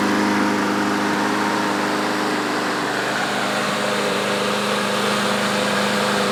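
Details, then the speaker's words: Troy-Bilt mower after self-propel drive cable lubed and fuel stabilizer added: steady, even drone with no misses or surging; runs normally and self-propel works. "and now the mower runs pretty damn good and the self-propelled works now too"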